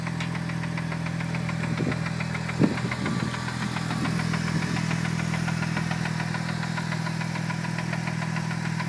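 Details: Newly bought Mitsubishi Evo 8 at idle: a loose, uneven knock around two per second under the engine drone. The seller says clutch release bearing; the cause is unconfirmed.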